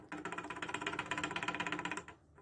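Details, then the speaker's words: A running 150cc motorcycle engine gives a fast, even metallic knock of about eleven per second. The connecting rod is knocking: the engine has worn internally ("eaten"), although it didn't smoke. "olha olha isso aqui pessoal biela de isso de moto batendo de moto para cima"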